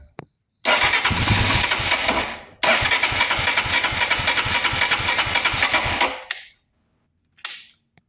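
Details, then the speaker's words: 2022 Royal Enfield Himalayan, no start after warming up: two long cranking bursts with steady compression beats, about four a second, never catching; relay swapped without effect, fuel pump briefly heard, failing fuel pump suspected. Cranks but won't start. "You could just hear it. Kind of like do a thump, but nothing actually happens. So, this is exactly what it did to me on the trail. And I'll show you. It just cranks and doesn't start."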